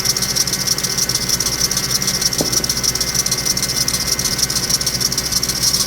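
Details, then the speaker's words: 2006 Ford Expedition at about 150,000 miles, engine running: fast, very regular light ticking, about three per second, from the accessory drive; WD40 on a pulley briefly silenced it, so a bad pulley bearing is suspected and to be replaced. "we got the engine started you can hear this ticking sound that I mentioned before let's take a look at it"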